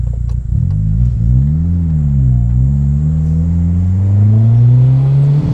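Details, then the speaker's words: Turbocharged Honda Civic with a cheap turbo on a log top-mount manifold, hard pull that breaks the tires loose in first gear: engine drone under load with a wavering, fluttering edge as the turbo surges. "Um, anyway, you guys can hear how much that turbo is surging. Sounds cool. Not good on the turbo. We've got a cheap turbo."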